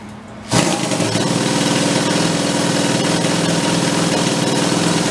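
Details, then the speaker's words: Steampunk-style custom motorcycle with multiple carbs on a thumb-throttle linkage, first start after a few years in storage, choked and primed: fast, uneven lumpy putter, sounds like only one cylinder is firing. "sounds like it's running on one we'll give it a second"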